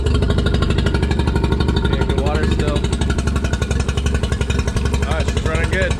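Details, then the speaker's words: Used outboard, previously winterized and fogged, only missing handle replaced: fires right up every time, steady fast even pulsing about four beats a second, no misses or knocks; running normally. "yeah it fires right up every [Music] time give it some throttle"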